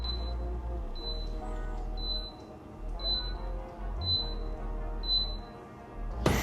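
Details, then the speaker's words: Casabrews CM5418 Basic espresso machine, after running water and cleaning solution through: power cycled and still beeping, high short beeps about once a second over a low hum; descale reminder persists until reset by holding one-cup, two-cup and steam buttons. "But, if I turn this off and turn it back on, what you guys will see is that it is still beeping."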